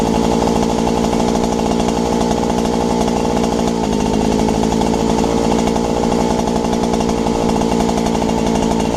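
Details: Robin EC10D two-stroke engine revived after points and condenser cleaning, carb clean and tank flush, throttle turned down: steady rapid firing at lower speed with no misses or knocks, running properly.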